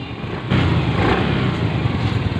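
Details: Mio Soul i 125 scooter after starter relay wiring fix, no longer self-starting at key-on: quiet at first, then it fires and runs at a smooth, even idle with no stumbling; normal start.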